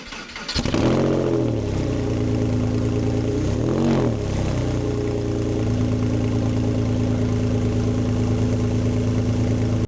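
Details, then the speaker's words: Porsche 911 (996) starting: catches, flares, then a harsh, very loud, raspy idle with little muffling; owner suspects the silencers were removed (silencer delete), not confirmed. "Now, I don't know what's going on here, but it looks to me like the silencers have been removed, or they've done a silencer delete on this car. Now, when you fire it up, it sounds absolutely awful."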